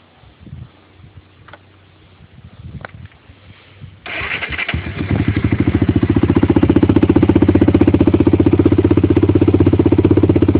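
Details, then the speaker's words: 1993 Honda 300EX single-cylinder ATV, beater before rebuild, stock exhaust with blown-out baffle: brief shuffling, then it catches at once and settles to a steady, even thumping idle; starts right up. "Starts right up."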